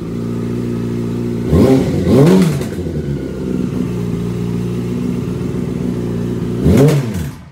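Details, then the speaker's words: Yamaha R6 project engine after a valve clearance check, cams and top end look okay: even idle with two sharp revs; a light clatter comes and goes, fading with revs and then returning; source unknown, oil pan to be dropped next. "And it sounds okay right now, but what happens is sometimes it sounds okay, sometimes got that rattly noise. There it's coming. And you can rev it up and it goes away. And then it comes back. So it's really odd."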